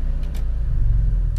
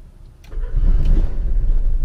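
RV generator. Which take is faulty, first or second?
second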